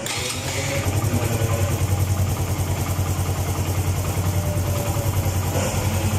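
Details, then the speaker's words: Suzuki GN125 motorcycle after tensioning the cam chain (timing chain) tensioner: steady even single-cylinder putter at idle, about 3.5 beats a second, no ticking or rattle from the top end. "recordemos como sonado antes y notemos Cómo suena ahora y listo"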